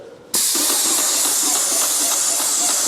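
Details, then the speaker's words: Airless paint sprayer running after thinning the paint (following two blockages): sudden strong, steady high hiss with no sputter or surging, sounding healthier; atomising evenly, normal spraying. "sounds healthier. Yeah. Wow, okay, that's different altogether, isn't it?"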